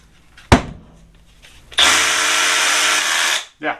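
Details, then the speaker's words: Milwaukee M12 Fuel SDS hammer drill, reference for correct sound versus its fault of shifting out of hammer: short tap then steady even buzzing rattle about two seconds, no stutter or grinding; normal hammer action. "so we're going to make it stop doing that and make it sound like this"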